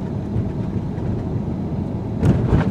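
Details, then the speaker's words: 2019 Ford Edge ST 2.7L EcoBoost on 21-inch wheels and low-profile tires, comfortable suspension, 102°F day, over speed bumps: steady road rumble then two dull thumps about a quarter second apart; normal impact thumping from the big wheels. "I'm number one pretty smooth but you hear that thumping from the big wheels number two number three"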